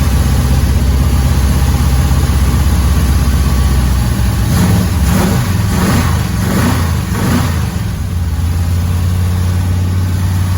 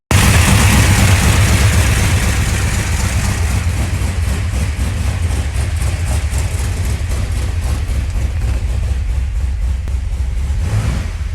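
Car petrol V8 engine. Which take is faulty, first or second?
first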